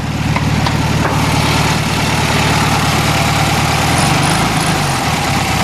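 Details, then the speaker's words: 1973 VW Beetle flat-four after new fuel lines, carb, plugs, wires, cap, rotor, valve adjustment and oil change, warm after a drive: idles fairly steadily with a slight uneven wobble of unknown cause. Running much better than before. "still got I'm not sure what go got a little wobble to it but it's running a lot better than it was"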